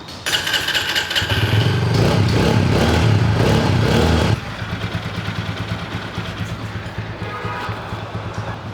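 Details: TVS Apache RTR 200 single-cylinder bike after engine noise repair with parts replaced. A short rev settles to a steady, even idle with no tapping or rattles; normal idle.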